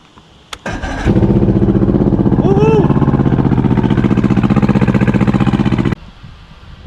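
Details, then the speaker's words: 115 hp Johnson outboard on a bass boat, first run in about 20 years, started with the choke after recharging a weak battery: after a short crank it holds a strong, even, steady beat for about five seconds, then shuts off. It runs healthy. "it's running pretty strong"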